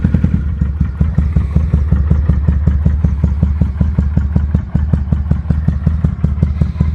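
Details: 2005 Kawasaki Vulcan 800 quick startup before sale: steady loping V-twin idle, almost two uneven-fire beats per second, deep and even, no ticking or knocking; normal idle.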